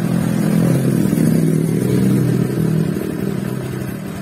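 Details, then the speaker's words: Honda Vario 150 scooter, stored unused for about 11 years, after repair with radiator coolant refilled. The engine now runs with an even, low hum and no hiss or knock; the earlier cobra-like hissing is gone. "sangat halus sekali temen-temen sangat halus normal kembali yang tadinya suaranya berdesis karena meringkasnya dua-duanya"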